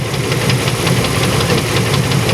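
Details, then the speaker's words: 1994 Chevy Astro van (one owner), steady idle with a regular sharp knocking/clunking several times a second, unchanged with the accessory belt on or off, so owner suspects an internal engine noise; cause not yet found. "I got to figure out what this noise is and it does it with the belt on belt off doesn't matter"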